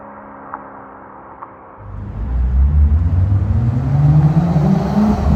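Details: BMW M2, one year of ownership, performance exhaust with valves opened by remote: deep rumble rising into a smooth, steady rev with no rattles or misses, a healthy exhaust note.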